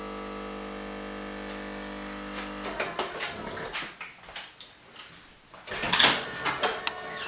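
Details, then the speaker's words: Bosch TES50129RW_BK bean-to-cup coffee machine: steady even hum as the heater warms water (under 20 seconds), then soft gurgles and clicks as the pump pushes water through at required bar pressure; normal brew cycle. "now what you're hearing now is the heater which will heat the water up it takes no more than 20 seconds to heat the water up and then push the coffee through at the required bar pressure"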